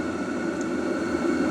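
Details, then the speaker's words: Cheap Chinese 12V diesel heater in a shed, running after the intake and exhaust fix and reflective heat wrap: a steady, even blower rush and constant hum with no ticking or surging. The fuel pump is barely audible; running normally. "yeah once that's running you can barely even hear the pump so but yeah pretty happy with this"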